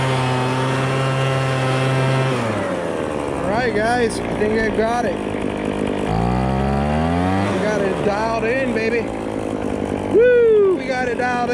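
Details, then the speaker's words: MTD Bolens BL125 two-stroke leaf blower after carburetor repair and adjustment for no-start and bogging: holds a steady idle, then revs up cleanly and drops back without bogging, music faintly behind; carburetor fixed and working. "we got the carburetor adjusted the carburetor fixed and it works"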